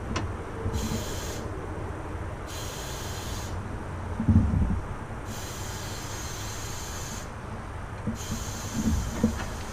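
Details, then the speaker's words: Leak-down test on a warmed-up stock B16 in a 1999 Honda Civic Si, cylinder 3 at top dead centre: bursts of steady air hiss lasting one to two seconds are heard at the headers as air is fed in; leaking exhaust valve. "so cylinder 3 I'm going with the exhaust valves are bag cuz I can hear in the I can hear in the and the headers"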